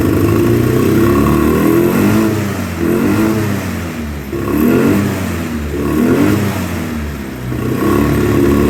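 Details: 2009 Polaris Sportsman 800, sat six months, bad fuel pump, injection cleaner in fuel, lumpy idle and weak mid-range: repeated clean rises to high revs and drops back, no misfire or hesitation; mid-range to wide-open throttle runs great.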